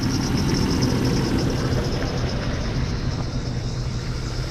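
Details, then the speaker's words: 1995 Jeep Cherokee XJ, about 30 years old, engine previously rebuilt (a frozen lifter was found). Idle is uneven and lumpy with a recurring stumble. Unplugging cylinder 6's injector causes no change, confirming number 6 is misfiring. "So without a doubt, number 6 is definitely missing."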